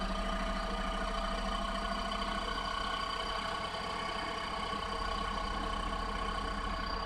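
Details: Nissan Clipper U71V engine, abnormal-noise repair: steady, even idle with a constant low drone and faint high whine on top, no knocking; sounds normal.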